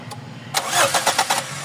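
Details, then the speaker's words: GLI with 4A-FE engine, previously rough idle, low power and low fuel pressure, stalled after a test drive: starter churns with quick even pulses but engine never fires; crank no start, no fuel pressure, fuel pump stopped. "wala walang fuel So ibig sabihin yung pump tumigil titingnan natin yung pump niyan"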